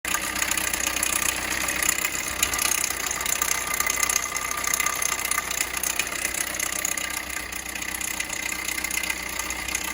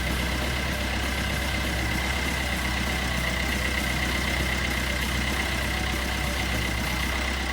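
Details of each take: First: 2012 Peugeot Bipper at steady idle: loud, fast metallic chatter over the engine from a slapping timing chain on an almost completely broken-off chain guide; timing chain kit replaced. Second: 2012 Peugeot Bipper diesel after timing chain kit replacement (guide had almost broken off, was noisy): steady diesel clatter at even idle, no rattle or slap from engine front; sounds healthy.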